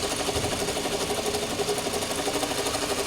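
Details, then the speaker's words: 2007 Toyota Camry with 265,406 miles, hood open at idle: fast light tapping about three per second, unevenly spaced, over an otherwise smooth idle; source unknown, owner thinks it may be the alternator. "Yep. It's just that sound. I just can't figure what that sound is. I really can't figure out what the sound is. It's like the alternator."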